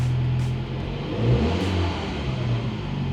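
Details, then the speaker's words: 2013 MINI Countryman after replacing spark plugs and coil packs to cure a misfire: engine revs up and settles cleanly with an even, steady note, no stumble, popping or limp mode; old check engine light still on. "not going into limp mode"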